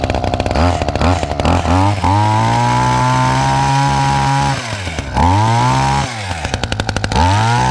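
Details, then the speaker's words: Hedge trimmer two-stroke with newly fitted replacement carburetor that didn't fit right: revs up and down unevenly, sagging and bogging between bursts; carburetor needs tuning and a loose bolt there needs tightening. "So, I want a bit of a tune on my carburetor. And there's a bolt just here that's loose. I need to tighten that up."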